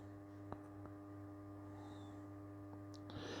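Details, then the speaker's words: 1940s vibrator power supply for a PCR radio, run from a 12 V 7 Ah battery, producing just over 400 V HT: steady low buzz of fixed pitch, no faltering or crackle; normal vibrator power supply buzz. "So I'll switch it on. You might be able to hear it buzzing away there. Yeah, not a lot going on there. It just buzzes and produces a voltage."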